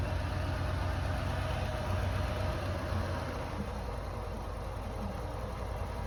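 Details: Lancia Delta HF Integrale barn car, unrun for over six years, after new fuel pump, four replacement injectors and fresh fuel, now warmed up a little: steady, even low idle, smooth beat, no misses or knocks; normal warm idle.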